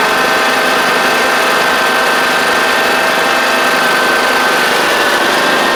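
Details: John Deere D110 riding mower with a newly installed engine, driven out for a test at almost 400 hours on the meter: the small engine holds a steady, even buzz and whine with no knocks or stumbles, running smooth and healthy.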